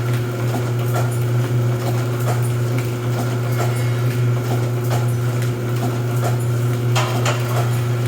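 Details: Rosback 250C (318) 3-knife trimmer with CueFeed feeder, new DC controller fitted, delivery not running so books caught by hand: steady low motor hum with knife stroke thumping about every two and a half seconds; normal trimmer running cycle.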